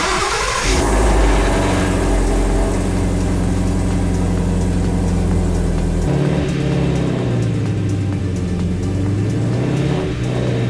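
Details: Shelby GT350 5.2 Voodoo V8, startup after oil drain and refill with 5W50: engine catches into fast cold idle with light uneven clatter over exhaust; rattle still there, cause unknown, teardown needed.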